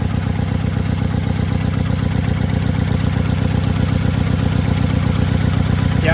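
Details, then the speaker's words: 2001 Nissan Sentra idling with a lumpy, thumping idle, a steady low chuff at about two to three beats a second; unplugging the suspect coil pack caused no change, so that cylinder is dead from a failed ignition coil, confirmed by swapping coils one and two. "came off and you notice there's no difference in the engines idle performance sort of performance in battle there's still a heavy myth back on there's no change in the idol status of the vehicle and it's off so that's pretty easy quick way of trying to diagnose which cylinder ignition coil is dead"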